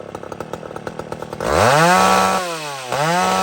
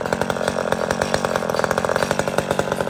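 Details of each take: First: Old McCulloch chainsaw revved several times, snapping cleanly up to a high scream and dropping back without bogging or stutter. Runs properly. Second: Chainsaw at full revs: thin, high, flat screaming pitch with no burble, running too lean and at risk of engine damage; carburetor mixture needs richening.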